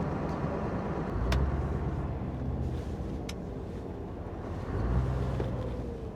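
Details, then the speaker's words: Scania R620 V8 diesel truck after a full engine service, heard from the cab while driving: low, even drone with steady road rumble, no knocks or rattles; much quieter and smoother than before the service. "c'est sûr c'est que voà il est beaucoup plus silencieux, beaucoup plus il tourne rond quoi."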